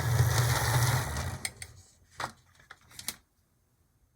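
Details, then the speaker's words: Older HO loco, sitting perhaps a decade or more, running rough on track after a derailment: motor whir with a fast tick about three a second; owner suspects a cracked gear in the bouncing front truck. "well that's better but same here I detect a clicking from potentially a broken gear"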